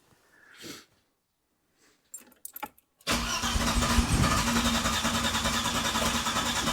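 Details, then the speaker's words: Classic car just fitted with the correct ignition coil replacing a wrong one: silence, then catches after about three seconds into a slightly lumpy idle, a bit smoother than before but still reluctant to start; cause unknown, timing unverified; hard starting and rough running. "Okay. So, it's running. Still not happy, but it is running happily on that coil."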